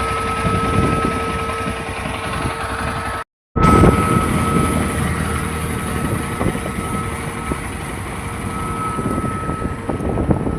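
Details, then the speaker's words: Yezdi Adventure motorcycle after its second service: a constant high-pitched whistle holds one pitch over the running engine while riding and never varies; source and cause unclear. "गाड़ी में से constant whistle का sign आने लगा है second service के बाद।"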